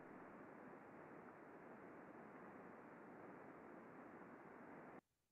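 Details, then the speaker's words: Coupling heard through an ultrasound condition-monitoring data collector (heterodyned): only very quiet, steady white noise, no impacting or repetitive content; healthy coupling, normal running. "so very very quiet White Noise"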